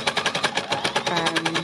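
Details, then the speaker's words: Embellisher needle-punching through stiff thick layers of embellished, stitched fabric: fast steady hammering, about eight heavy laboured thumps a second, as the needles struggle through the thick fabric. "you hear that banging noise that means i've got quite a lot of thick fabric here now because i embellished the leaves on and then i've stitched them it's created quite a stiff thick fabric for the um next layer to go onto so it's not totally happy doing that"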